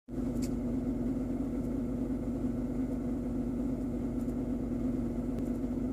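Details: BMW 120i E87, engine running. Steady idle with a constant motor-like hum/whine in the low-mid range; engine oil change didn't help. Owner thinks it comes from behind the air filter box; cause unknown.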